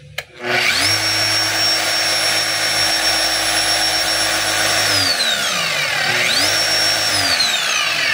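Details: DeWalt D25811 5 kg jack hammer run with its cover open after rewiring, before closing it up: high, even motor whine climbs smoothly to speed, holds, winds down, spins up again cleanly; motor healthy.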